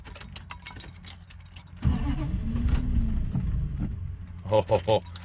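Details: 1990 Dodge Ramcharger: slow, uneven starter cranking at roughly two and a half turns per second that never catches; fuel pump audible, owner wonders if it is out of gas. Crank no start, cause suspected, not confirmed.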